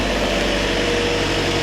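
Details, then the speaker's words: Toyota Corolla, first start of a used replacement engine after the original failed with a gasket problem, fresh oil, not yet at operating temperature: an even, smooth low idle hum with no knocks or misses. Normal idle. "So, that's a good thing. It actually starts up. It runs."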